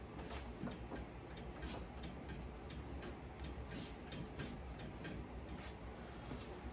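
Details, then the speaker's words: Suspension creak when bouncing the body after wheel refit; irregular dry creaks and clunks with each bounce over a low hum, same on both sides, cause unknown and owner not concerned. "I don't know what that noise is but it's had that sense I can remember let me check this out yeah this side does it too so as long as they both do it I ain't worried about it"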